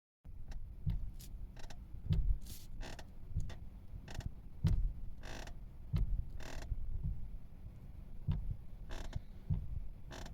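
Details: Kia steering column: irregular low creaks and groans about every half second when turning the wheel left and right, attributed to worn steering column stops.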